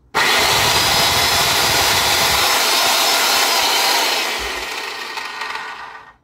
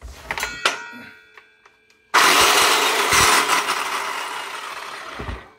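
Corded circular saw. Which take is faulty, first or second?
second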